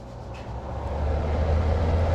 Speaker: blows nice love H High okay